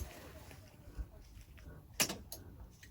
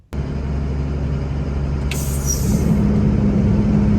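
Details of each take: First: FMTV truck fan clutch purge solenoid test, air tanks filled, power switched off without engine running: single sharp click, no air purge; valve suspected not getting power or coil bad; truck overheats on hills. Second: FMTV diesel truck fan clutch: diesel idle rumble, short air hiss, then deep freight-train roar as cooling fan clutch engages; normal fan clutch engagement.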